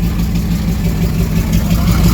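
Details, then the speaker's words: 1978 Jeep J20 with AMC 401 big block, first start after sitting about 20 years, fed from a fuel line dropped into the tank. Low, loud drone with uneven, lumpy beat, as if missing on a cylinder; crossed spark plug wires suspected, unconfirmed. "okay sounds like i might have a uh a wire crossed like i got a wire crossed i think i know which ones they are"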